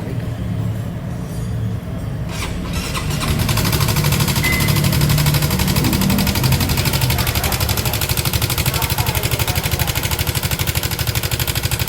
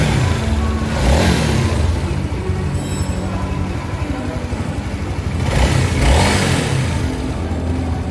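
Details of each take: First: Honda CB150 motorcycle brought in for very loud noise: engine catches and settles into a loud, busy clatter with fast uneven ticking; severe internal mechanical noise, source not yet found; linked to worn clutch plates. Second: Honda CB150 motorcycle after a major engine overhaul for a severe rough-noise complaint, ECU scan showing sensors fine; two clean throttle blips rising and falling smoothly over background music, no knocking or rattle; healthy rebuilt engine.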